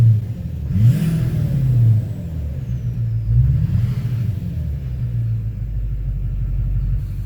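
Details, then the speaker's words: 2009 Chevrolet Duramax LMM dually diesel, 59,945 miles, owner suspects injector knock (plans to replace #5 injector): deep, even rumble swelling smoothly with no knock – normal diesel sounds; knock not happening at idle. "are normal diesel sounds that's not the knock so it's not happening at idle"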